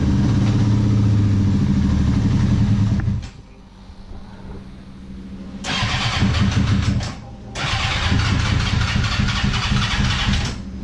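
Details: 1998 Suzuki GSX-R 600 with battery-drain issue, after replacing stator, rectifier and spark plugs: fires and idles with a steady low thrum, cuts out briefly, then revs cleanly twice; normal start and rev.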